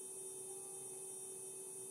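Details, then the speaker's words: MP9486A buck regulator: faint steady thin whine with high hiss; inductor sings from burst switching at 500 Hz. "E perché queste commutazioni Avvengono ogni 500 Hertz Quindi ovviamente ricadono nell'udibile e l'induttore funzionando a Bart in questa condizione appunto emette rumore che è poco piacevole"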